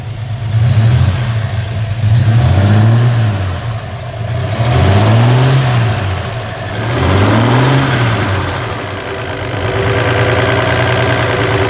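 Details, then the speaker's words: 1966 Chevrolet C10 with an inline six, serviced with all fluids changed and tires fitted. Smooth idle rises and falls through several clean throttle blips with no knocks, misses or rattles; healthy engine. "Será que existe som mais incrível do que esse 6 cilindros da Chevrolet aqui"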